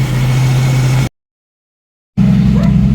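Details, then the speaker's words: 1990 Jeep YJ 4.2L 5-speed with carburetor problems, during carb adjustment: low idle needing throttle to stay running, wavering and sputtering below about 1000 rpm; unstable idle, carburetor suspected. "okay and it's starting to act up again so I gave it a little gas got the RPMs up I'm kind of having to keep my foot on it just a little bit to keep it running cuz as soon as it starts to drop below a th000 it wants to sputter and die"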